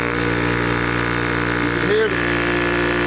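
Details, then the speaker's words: Yong Heng air compressor for PCP airguns after no-load warm-up, valves now closed so pressure builds and gauge rises: steady motor drone, even hum, note shifting slightly as load comes on; running normally. "Now, it'll start building up air. You can see the gauge is starting to move now."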